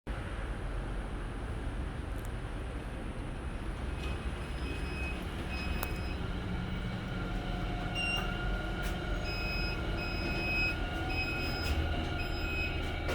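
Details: HDB lift at Woodlands Street 81 after repair following a breakdown and blackout: steady low rumble of travelling car with high squeals and metallic whines rising partway; very noisy running, cause unclear.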